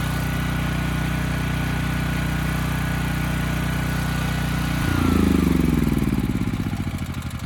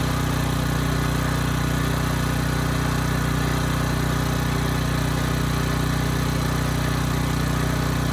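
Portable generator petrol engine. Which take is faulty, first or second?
first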